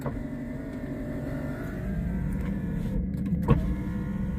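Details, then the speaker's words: Daimler with electrical faults, engine running: power window motor whirs steadily up and down with no clicking or stalling, other windows also working. "Okay, so that window is going up and down like a good 'un. As do the other ones."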